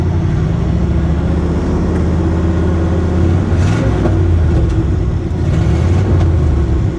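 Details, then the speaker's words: 1970 International D1000 truck, warm after a 10-mile highway run at 65,962 miles with good oil pressure: deep, steady idle rises smoothly on two throttle blips with no knocks or misses; the engine sounds healthy. "Sounds good, don't it? >> Yeah, it does."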